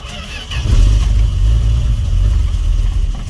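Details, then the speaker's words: Fargo/Dodge D100, very cold snowy night, jump-started after weak battery: strong crank, fires and roars briefly then fades out; cold engine starts but won't keep running. "oh well that was quick but it won't run it's actually really cold"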